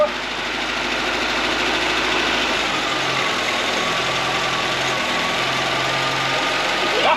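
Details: Fiat 124 Sport Spider off the road since at least 2011, first start on a carburettor with fuel pump running and choke plate held: rough, uneven, slightly hunting idle with a hissy top end; cold start on choke, good oil pressure afterwards.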